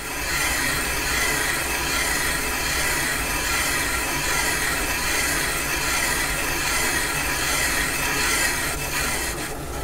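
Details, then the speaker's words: Caterpillar D2 #5J1113 starting engine, main bearing bore being machined on the lathe; loud, even hissing cut runs unbroken to the end of the pass with no scrape-and-miss gaps past the oil holes, tool cutting consistently. "good that hit consistently all the way around towards the end"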